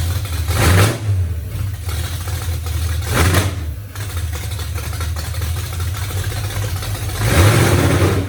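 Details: 1982 Mustang 5.0 carbureted V8, second start after wiring the MSD tach adapter and the Davies Craig fan/water-pump controller, carburetor only roughly set pending final tuning: deep burbly rumble with throttle blips and rising revs, running fine.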